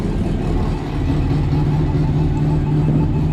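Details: Ford fitted with a Weber carburettor: loud, rough engine roar holds flat with no climb in pitch, bogging and refusing to rev; fuel reaches the second stage, idle jet and mixture screw checked, alternator wire found loose, exhaust blowing.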